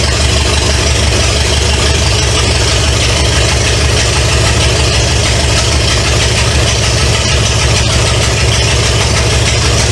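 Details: 1970 Pontiac LeMans with Pontiac 350 V8, first start after decades sitting: loud, raw idle through open manifolds, deep steady rumble, even beat, no knocks or ticks. Smoke is from oil added to cylinders to unstick rings. Normal idle.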